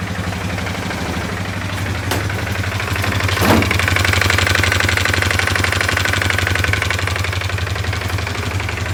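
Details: CF Moto 500 ATV single-cylinder engine brought in for repair, knocking at idle: sharp, regular knock about four times a second, clearly internal, cause still unknown.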